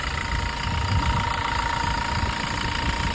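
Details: Toyota Revo diesel, 50,000 km, after intake manifold cleaning and EGR blanking with pipe removed: steady even idle clatter, low rumble dominant, no misses or knocks; normal healthy idle.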